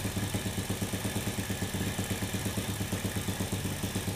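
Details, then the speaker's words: Honda Supra motorcycle fouling spark plugs and smoking black despite new carburetor, valve clearance checked normal; lumpy uneven single-cylinder idle that air-screw adjustment won't clean up, rich from carburetor needle missing its clip. "Ini coba saya cek di jarumnya, tapi ini ada yang aneh. Tuh lihat. Tuh, jarumnya kok nggak pakai sepi."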